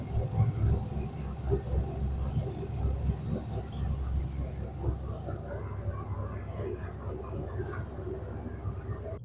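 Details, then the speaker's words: V8 idling after Dragonfire ignition upgrade kit installed: deep, steady burble, no misses or stumbles, firing evenly on all eight cylinders, no codes yet; normal idle. "It sounds like it's firing on all eight cylinders. Haven't had any coats pop up yet. Should be good to go."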